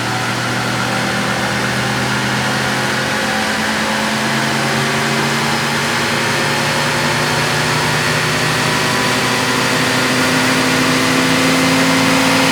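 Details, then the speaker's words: 1966 AMC Rambler American with stock 199 cu in straight six, in a dyno pull: steady hard-pulling roar, then a thin squeal rises near the end of the run; not belt slip, source never identified. "and do you hear that squealing sound right before the end of the Run it may sound a little bit like belt SLP on camera but that's not what it was we never did figure out what exactly was making that squeal"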